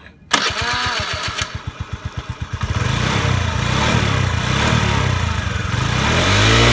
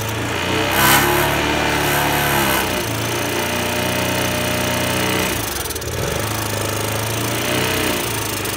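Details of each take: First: Honda Today moped after engine conditioner treatment for carbon buildup: cranks a few seconds, catches and settles into a smooth, even running note that climbs cleanly with throttle; engine revived and running properly. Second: Honda Today moped engine running poorly: buzzing that surges and sags without climbing cleanly, stumbling as throttle opens; won't rev out; carbon buildup suspected, engine conditioner being tried.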